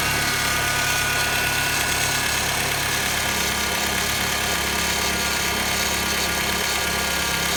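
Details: 2006 Honda Civic EX at idle; constant rough grinding starting shortly after startup and lasting a few seconds after shutoff; VTEC solenoid, alternator, belt tensioner, cam and crank sensors, power steering pump recently replaced; cause unknown.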